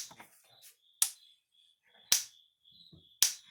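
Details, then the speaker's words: Gallagher The Billy M800 electric fence energizer after repair, tester showing about 9,000 volts; three sharp loud even snaps about one second apart; healthy strong pulses. "So it's working good again, so we're going to go see what kind of snap it's got."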